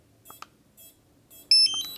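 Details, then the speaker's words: DJI Pavo Pico Version 2 drone powered on with DJI FPV Remote Controller 2: short high chirps then a quick cluster of sharper steady beeps, a warning tone, possibly low battery. "See, you hear it beeping? It's like on life support system."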